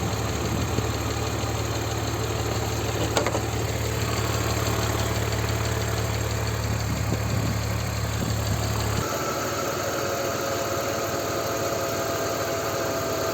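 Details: BMW 325ci E46 M54 six-cylinder idling with a steady, even hum and only a faint light patter; lifter tick essentially gone after about 100 km driven with Liqui Moly lifter additive added to the oil.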